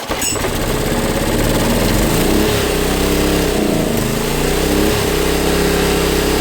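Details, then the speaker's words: Honda EB1400X generator that previously wouldn't put out power: on choke it starts, settles in seconds and holds a steady, even buzz at constant speed, making 112 volts at about 60–65 hertz; running properly. "Making power. 112. I'm going to pick up a lottery ticket on the way home, you know what I mean? Really, it's 112 volts with 60, whatever it was, 65, whatever hertz."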